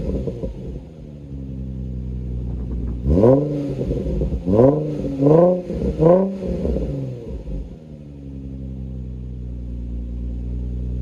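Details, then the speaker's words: 2004 Nissan 350Z after oil catch can install, stock cats with Motordyne exhaust: smooth idle, four quick clean even blips, settling back to steady idle; normal engine revving, healthy engine and exhaust. "So yeah, that's how it sounds. It sounds pretty amazing."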